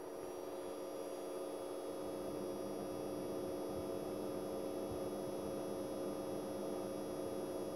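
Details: Brand-new Fengmi 4K projector in a quiet room with no video playing: a constant faint hum with several steady high-pitched whining tones on top, unchanging throughout; electrical coil whine and humming.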